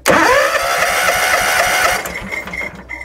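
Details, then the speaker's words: John Deere X300 mower cranking without starting: starter turns engine about two seconds with even chugs, compression good, fuel reaching plug but no spark; suspected faulty ECU, to be replaced. "There's no spark there."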